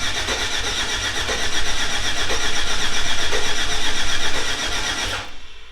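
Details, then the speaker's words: 1946 pickup, first fire-up after hours of wire-harness work and a newly installed cam sensor, fuel pump priming: starter churns evenly about four compressions a second for five seconds, never catches; crank no start, no coil-pack spark. "Okay, another major letdown, guys. I don't know why it's not starting, guys."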